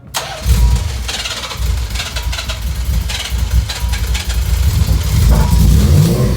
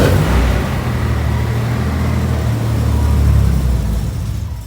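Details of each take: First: 1990 Nissan 300ZX on the third start attempt, after a leak was taped up and sliced fuel lines and the battery harness were repaired: catches and runs steady with clean throttle blips, much smoother than before. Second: 1990 Nissan 300ZX starting after sitting unplugged, with its intake resonator tube missing. Low, lumpy idle that surges and sags without settling. Air is entering after the MAF, so unmetered air makes it run rough: vacuum leak after MAF sensor.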